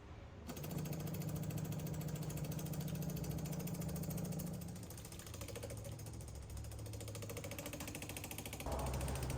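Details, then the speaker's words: 1991 VW Jetta GL diesel, temporary 12 V electric priming pump powered from headlight socket pulling diesel from tank after fuel filter change: quiet fast steady ticking buzz, no straining or sputter, lines fill and prime; normal fuel pump operation. "when I hit the BRS pull the BRS uh it's going to turn the pp on and start pumping"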